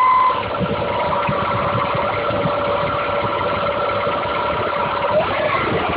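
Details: Audi A4 1.8T (AEB engine) idling with a thin, steady whistle-like tone over a ragged idle; odd engine noise that always appears in freezing weather, source not yet located.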